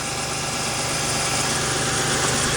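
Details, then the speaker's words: Toyota T100 V6 with almost 300,000 miles, after an alternator replacement for low charging output: steady, even idle with a smooth hum and no knocks or misses. Normal idle. "Sounds like it's running sweet. Everything up to speed."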